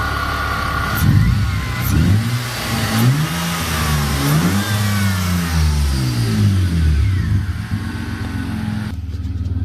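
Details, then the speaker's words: BMW E36 drift build, M52 straight-six with M54B30 inlet cam, crank sensor changed and air leaks fixed: revs up and down freely with clean pitch changes, no misfire or knock, running nicely. "um running nicely now and it revs well with the m54 cam trigger"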